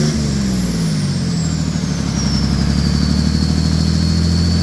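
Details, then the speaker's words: OM603 Mercedes diesel in a Ford Ranger (Doomsday Diesel adapter, Ford ZF5), first start, warmed briefly with good oil pressure: revs then settles to an even, steady beat, no knocks or misses; running normally. "all right that'll do it for this video we got her all running everything's good"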